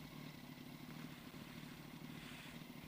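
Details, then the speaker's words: Yamaha R1 idling after oil change to Amsoil: fast, dry clatter over a steady idle that goes away when the clutch lever is pulled; owner suspects the clutch basket, not confirmed. "But that clutch basket or something just making a lot of noise. When I press in the clutch, it goes away,"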